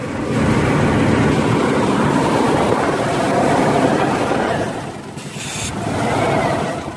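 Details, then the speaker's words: 1990 Chevy Blazer/GMC Jimmy 4.3 after valve job and head gasket, restarted after unplugging PCV valve, oil pressure 40–45 psi: even fast idle slowly easing down, no knocks or misses; normal idle. "But let's crank it again. There you go. Nice and stable."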